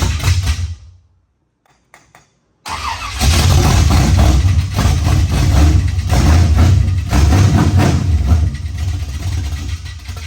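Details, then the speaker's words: 1974 Camaro with new roughly 450 hp V8, first start after timing adjustment: short crank then a loud fast clatter over lumpy idle; valvetrain noise later traced to the 1.6 rocker arms. "the motor fires up loud loud clattering noise we're sitting here pooping our pants because we didn't know what that was"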